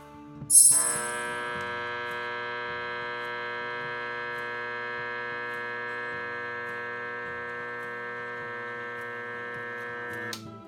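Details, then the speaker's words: Motorcycle starter armature on a growler with a hacksaw blade, turned and checked all around: steady, even mains hum with no buzzing or chatter from the blade; windings sound, no shorts. "You can hear it there. I know it's very hard to hear, but there is a change in the sound of it. But as long as I go around here and check it, everything seems to be normal there."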